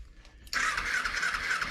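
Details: 2007 Kawasaki Ninja EX250 that sat five years, with Berryman's squirted into the carbs: the starter keeps spinning with a thin, raspy crank but never catches. The carburetor jets were found clogged, the main jet caked in green-black deposits.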